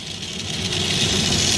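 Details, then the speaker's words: Stomper 4x4 toy, formerly non-running, revived by tapping and rocking it without removing the engine compartment: high, buzzy motor whirring steadily and building slightly, turning freely; normal running. "he's coming to life boom he's alive he's alive this takes a little bit of finessing yeah work on it"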